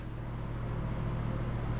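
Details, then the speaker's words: Cheap Subaru bought with loss of power, engine warm at idle, listening at the coolant reservoir (low but not empty): steady low hum, no gurgling or air bubbling, so head gasket is probably okay; normal warm idle. "but what we're listening for is if there are air bubbling sounds and I'm not hearing anything so that will make me believe that our head gasket is probably okay"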